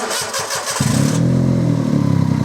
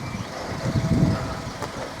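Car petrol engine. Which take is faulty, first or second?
first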